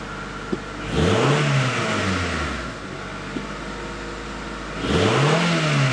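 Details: 1994–97 Honda Accord after muffler replacement, fixing a leak that was louder on deceleration: even idle with two clean, quick revs that rise and settle smoothly, no rattles or drone; exhaust sounds healthy.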